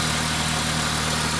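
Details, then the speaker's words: Honda Civic: steady even idle, smooth low hum, no knocks or misses; transmission a little loud, but strong, healthy engine, normal idle. "but yeah it's a strong running engine and everything and it runs and drives transition's a little loud I I'm doing N Miss on it but it's a healthy"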